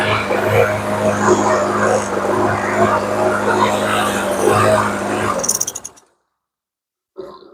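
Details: TB360 mower with commercial Briggs & Stratton engine, carb gummed by old gas: runs steadily but with a wobbling, uneven shaky pulse from a worn spark plug; new plug made it run much better.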